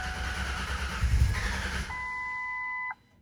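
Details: 2000 Ford Ranger 3.0L V6 after rebuild, fuel smelled old: sluggish uneven starter churn for a second or two, then a warning chime as it dies; battery too weak to crank.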